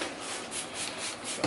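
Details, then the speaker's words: Hoover Concept One U3101 upright vacuum during a rebuild, brush roller needle bearing spun by hand: soft, even swishing about five times a second with no grinding or clicks; the bearing runs smooth. "quick I just want to hear how smooth that bearing is see how like the try flaunted I just want to see how that needle bearing did"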